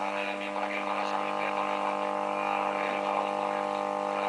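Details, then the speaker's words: Homemade PCL82 valve radio amplifier at maximum volume with the earth connection used as shielding: a loud, steady mains buzz swamps the faint radio station, caused by a faulty earth connection. "Está a máximo volumen y se oye más zumbido que la radio."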